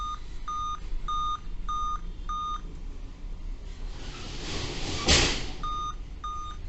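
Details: Dell Vostro 2520 laptop (DV15 MLK motherboard 11280-1) repeating sharp high beeps in groups of five even with date and time set. This POST code points to a fault in the RTC section or PCH RTC of the chipset.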